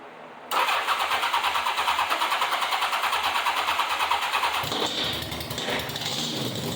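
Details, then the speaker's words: 1987 Honda Gold Wing GL1200 with electrical issues: sometimes cranks right up, sometimes won't crank, backfires through the exhaust at key-off. Starter cranks about three times a second, engine never catches; intermittent hard starting, possibly fuel, cause unclear. "electrical issues because sometimes you can hit the start button it'll crack right up and sometimes it won't crank but you can hear it when you turn the key off you hear a a like backfire through the exhaust"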